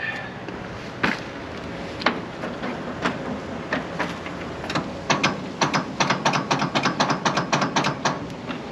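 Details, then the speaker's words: 1926 Seagrave ladder truck, first start in 50 years, after a stuck-open throttle was freed: irregular sharp clacks quickening into rapid ratcheting with no engine firing as the jammed starter fails to engage; stuck starter Bendix ratcheting. "Okay, now we got a stuck starter motor."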